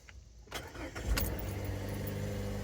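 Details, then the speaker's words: 2013 Mazda 3, 2.0L Skyactiv, automatic, cold start after replacing faulty MAF sensor (codes P0171 lean, P0101) and clearing codes: short crank, then steady, even fast idle with no knocks or misses; believed fixed, further testing pending. "And this is a cold start. So, I believe it's fixed, but uh we'll do some testing over the next few days and see if the problem pops back up."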